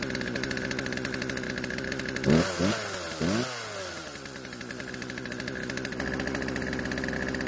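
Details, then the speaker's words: Poulan chainsaw unused for over a year; old fuel was drained from the tank, lines and carb and fresh mixed fuel added. Fast, steady two-stroke buzz at idle with a brief blip. The idle speed is too high, so the chain keeps moving. "the only issue was that the idle speed was much too high causing the chain to keep moving which is obviously something we need to fix"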